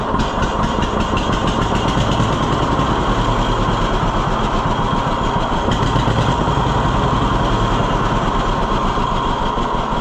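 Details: 1948 John Deere B tractor after Wico X magneto maintenance: steady, even two-cylinder popping at idle with a regular beat and no misses. Clean idle, lower than before; the owner credits the hotter spark.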